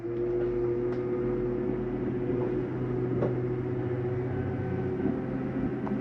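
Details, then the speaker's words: 2015 Jayco Eagle 306RKDS RV, slide-out retracted from the control panel with the doors closed: a steady low motor drone with an even gear whine, no clunks or grinding. Normal retraction; the end noise just means the slide is fully in. "That noise is just telling you that it's in all the way."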